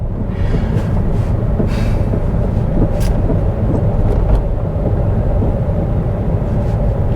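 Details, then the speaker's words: Citroen C4 Picasso on a test drive: under load the engine drone holds steady and rough with no gain in pace, a slipping clutch, plus a suspected grinding gearbox or driveshaft noise. "well now I know why it was cheap we've got a noise we got slipping clutch you hear it slipping clutch and some sort of gearbox noise or drive shaft noise"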